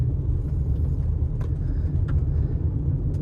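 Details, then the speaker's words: 2016 RAV4 Hybrid XLE test drive over rough road after replacing the stabilizer (sway) bar bushings: steady low road rumble inside the car and the previous clunk over bumps is gone. Earlier axle and sway bar link replacements had not fixed it. "right when you hit anything right when you hit any little anything anything in the road it would clunk I don't think I hear the clunk anymore wait let's no clunk no clunk wow wow amazing"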